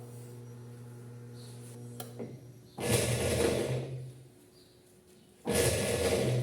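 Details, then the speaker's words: GE 10 kg washing machine whose agitator turns only one way: quiet motor hum, then rough grinding bursts during agitation, like stone rattling in the drive. "Observe o barulho e o agitador está agitando só para um lado."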